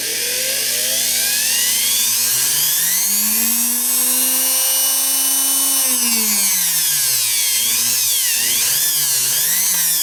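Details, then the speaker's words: Spare sewing machine motor made in May 1971, with good bearings and no shaft play, used for comparison with a Singer Quantum XL1000's shot motor bearing: smooth, clean whine rising and falling with the speed control, then stopping. "notice i'm trying to move this from side to side and i get nothing that's because the bearings on this motor are good"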